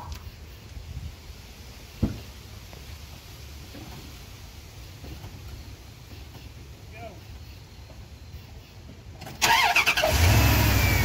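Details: 2nd-gen (1994-2002) Dodge Ram after a radiator replacement and coolant refill: mostly quiet, then the engine cranks and catches into a steady, even idle with no stumble; starts and runs fine, with a good seal and no leak.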